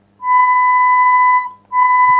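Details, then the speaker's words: Sanyo DCX 3300KB four-channel amplifier with failed STK hybrid output modules, 1 kHz test tone: rough, buzzy, clearly distorted channel with faint low hum underneath; amplifier also had 50 Hz hum. "This one is definitely distorted."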